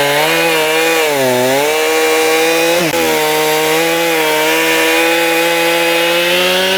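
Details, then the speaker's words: Stihl MS291 chainsaw after carb adjustment (screws about 1.5 turns out, high speed trimmed in slightly): clean, steady high rev, dips briefly and picks straight back up, idles on its own, very responsive; normal running. "Sounds pretty good to me now. Let's do a quick start here. Idles on its own. Very responsive."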